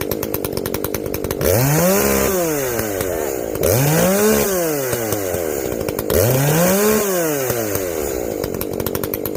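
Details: Echo CS-590 chainsaw after carb limiter removal and opened-up exhaust, high jet turned up a full turn plus low jet richened: crisp rise and fall revving into each cut and back, even, no bogging or stumble; running healthy, not hot.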